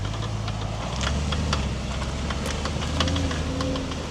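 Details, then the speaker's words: Audi S4 driven slowly into the garage after MOT prep: low engine rumble with sharp, irregular, horrendous clicking; the CV boots were bone dry, so the drive shaft CV joint is suspected worn and the drive shaft needing changing. "it doesn't look like we got away with the drive shaft CV boots because it's making a horrendous clicking noise which would suggest to me that the drive shaft needs changing"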